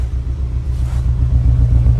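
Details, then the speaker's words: Honda S2000 with an Amuse titanium exhaust, in for a valve adjustment and an exhaust rattle from a broken resonator: low uneven rumble with an irregular stumble at idle. It is a misfire, probably from two tight valves. "So it's essentially got a misfire. It's probably two tight valves."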